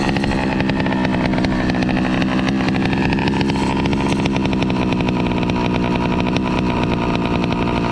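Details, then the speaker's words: Two-stroke motorized bicycle with an NT carburetor: loud, busy crackle and an idle that hunts and stumbles, never settling. Suspected cause: the carburetor isn't getting enough fuel to hold a steady idle (not confirmed). "what's going on is his bike is uh like having this weird idol like i was mentioning earlier because um it seems like his carburetor is not receiving enough fuel just to keep a steady idle"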